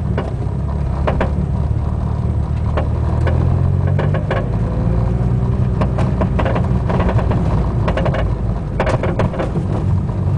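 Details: Front driver's side Buddy Club Racing Spec coilover while driving: creaking from the top mount, with pops and clunks seemingly from the spring/shock body, felt through the floor and pedals and constant on every drive; cause unconfirmed.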